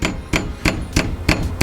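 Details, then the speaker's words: Ram 1500 5.7L HEMI with ProCharger supercharger kit: sharp metal-on-metal clanks about three a second as intercooler charge piping hits itself and the frame rail; owner suspects it may affect the tune. "have that metal metal clanking noise and if that it might be altering our tune or kind of messing with things a little bit"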